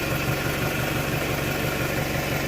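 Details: 1998 Toyota Camry, 154,000+ miles, idling after repair of a failed water pump bearing that took out the timing belt: an even, steady idle with a smooth low thrum and no tapping or knocking. Recorded on a phone. The engine runs cleanly.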